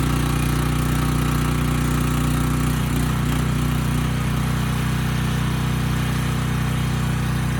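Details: Briggs and Stratton Storm Responder generator, bought as parts machine, checked frequency no-load then under 3,000 watt load; even, steady drone with low hum, no misses or surging; ran slightly fast before governor tab bent; normal running.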